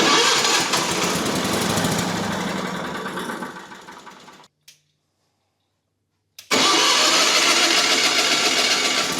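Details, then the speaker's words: Miller Bobcat 225NT welder/generator with older Onan engine, after repairing a no-spark ignition fault and re-aligning to marks: catches and runs evenly, idling down perfectly once warm; successful repair. "All right, once it warmed up, it idled back down perfect, the way it's supposed to run. And we got ourselves a success story here."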